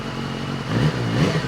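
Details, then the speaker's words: Salvage crash-damaged BMW S1000RR, started with a boost pack after battery charging: engine catches and blips cleanly with no misses or rattle, warmed up before an oil change; runs fine. "he's [Music] alive all right I'm warming it up because we're going to change the oil and if you warm the oil up it gets thinner less viscous"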